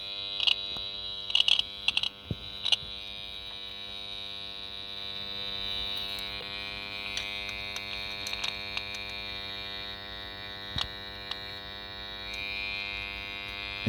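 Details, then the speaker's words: 1978 Honda XL250 barn find from America, ignition on, power seen dipping: thin steady electrical buzz with short rasping bursts as the horn tries but never gives a proper note; weak horn, cause not confirmed. "It's buzzing."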